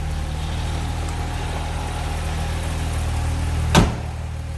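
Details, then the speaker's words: 1970 Jaguar XKE 2+2, out of long-term storage, idling, heard from the back of the car: smooth, even idle with steady low hum, no misses or ticking, one brief thump near the end; normal idle. "Slip around to the back, you can hear it run. Nice idle out of it."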